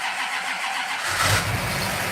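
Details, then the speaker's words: Car cranking after the timing was backed off a little; a distributor cutting power on and off is mentioned. Rapid starter cranking thickens with deeper, uneven firing partway through but never settles into a run. Hard starting, nearly fires. "yeah yeah I hear it there I hear it uh it wants to start she wants to"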